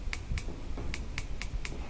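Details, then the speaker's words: Gas grill battery igniter with AA battery, dial in lighting position: about seven crisp, evenly spaced snapping clicks in two seconds with visible spark; igniter sparking properly. "you should be able to press it when you hear it press it here some clicking you can even see a spark"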